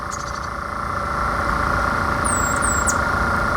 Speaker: as you can see it's not vibrating a lot it's not making a lot of sound